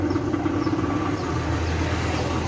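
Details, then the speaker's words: Sanyo Aqua Magic washing machine after repair: steady, even motor hum with constant low drone, no grinding, rubbing or stalling; both wash and spin motors now working normally. "oke sekarang kedua dinamo udah berfungsi dengan baik ya kanan-kawan baik itu dinamo pencuci maupun dinamo pengiring udah berfungsi dengan baik layaknya mesin cuci normal"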